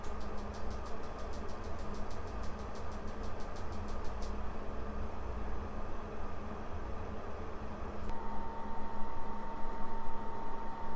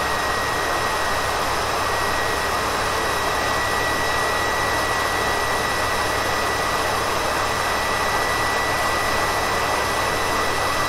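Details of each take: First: Fixed PS4 Pro fan after fan replacement and new thermal paste and pads: low, soft steady hum with faint airy hiss, nearly silent even while gaming; before, it peaked at 76 dB. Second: Faulty PS4 Pro with a clogged heatsink: its Nidec fan races with a steady, jet-like roar and thin whistle, peaking at 76 dB and averaging 74 dB; the fan also vibrated when spun by hand.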